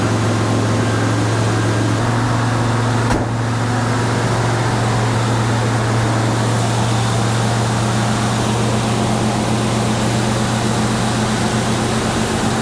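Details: Ford F100 engine briefly run without coolant, not yet hot, with a corroded battery cable found causing resistance and heating: steady low drone with an even idle, no stumble or misfire; normal running.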